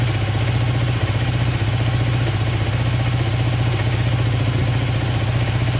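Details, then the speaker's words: Honda CB250N twin on stand with vacuum gauges on both carbs, left needle moving further: slightly lumpy uneven idle around three pulses a second; uneven idle, owner unsure carbs are balanced. "definitely more on the right and then on the left okay I'm not sure they're in Balance I was definitely seeing the left hand needle moving further"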